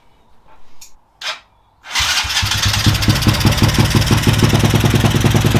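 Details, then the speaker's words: Homemade drift trike, small carbureted engine, just after finishing the build: a couple of quiet knocks, then it catches at once and settles into an even, steady putter; starts and runs fine. "All good to go now. It's running, starting. Happy days."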